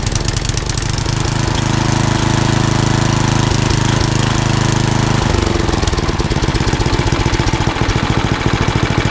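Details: Old rusty Tecumseh 10 hp HM100 single-cylinder engine after a genuine Tecumseh carburetor replaced a knock-off one (knock-off carb or its corrosion blamed), muffler refitted: steady chugging settling to a clean regular idle without stumbles; runs beautifully.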